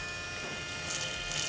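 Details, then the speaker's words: BMW 535 xDrive, electric coolant water pump right after replacement, everything reassembled: steady, even high-pitched whir with no rattles or surging. The new pump sounds healthy. "it's running you hear that that's a good water punch it sound"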